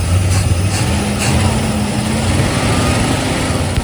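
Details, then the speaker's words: 1971 Plymouth Fury Grand with a 360 LA V8, abandoned 20+ years, first start after unseizing the carburetor and priming the mechanical fuel pump: a low, steady rumble with an even beat and no knocking. It idles decently. "It idles! Kind of, sort of. I can't believe this, but the accelerator pump works. Actually, it sounds pretty decent."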